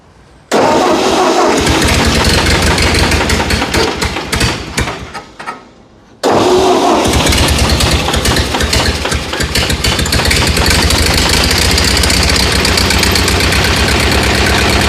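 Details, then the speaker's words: Ford 8N tractor, running with the fan belt removed after a stumble and restart: the engine settles into a steady, even idle with no noise over it, pointing to the belt as the earlier noise source. "Yeah, it sounds so much better without that."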